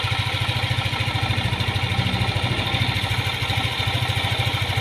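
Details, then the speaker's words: Yamaha Aerox 155 scooter, hot engine, after a new piston and rings: even, regular idle with a smooth low hum and no ticking or rattle. Engine sounds normal. "tahimik na siya wala na yung tunog jol na naririnig niyo na maingay"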